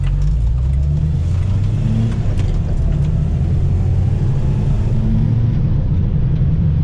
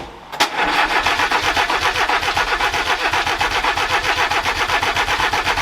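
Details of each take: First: Renault 4L with prepared Cléon 1108 cc engine, rebuilt head, climbing a hill in third gear: deep full exhaust note, revs rising freely, no misfire or knock; engine healthy, revs and pulls far better than before. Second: Renault 4L with prepared Cléon 1108 cc engine, just after cylinder head refit, accelerator cable reattached and pedal pumped: steady rhythmic cranking about four beats a second, no firing; later apparently traced to valves not sealing well.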